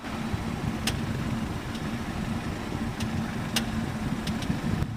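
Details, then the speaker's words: BMW 3 Series (G20-type) at quiet idle: sharp irregular clicking as steering wheel nears full lock, a known EPS steering rack issue; fix is lubricating the rack (not the threads). "哒嘎哒，嘎哒嘎哒，就这个声音，听到了吧？这个音响呢是宝马的一个通病，很多的这款3系呢都会出现。"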